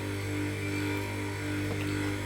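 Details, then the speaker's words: 0.5 hp open-well submersible pump, no-load test run on a starter right after impeller assembly: steady electric motor hum at one even pitch. The impeller spins fully with no rubbing or earthing fault; the motor runs cleanly. "இங்கே பார்த்தீங்கனாலே உங்களுக்கு தெரிஞ்சிருக்கும் இந்த impeller வந்து ஃபுல்லாக சுற்றுறது. எந்தவித earthing ஆகலை."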